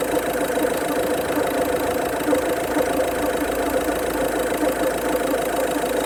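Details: Engine idling evenly with a light, uneven tapping about twice a second over it, source unclear; pulleys, tensioner and belt stripped down and look OK; abnormal noise at idle.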